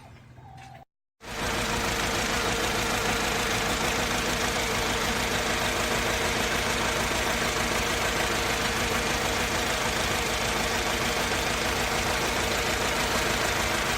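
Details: Mercedes C200 petrol engine idling unevenly with a lumpy, stumbling beat, as if running on two or three cylinders. It also backfires and loses power when pulling off. Coil packs and all four plugs tested as firing, cause unknown.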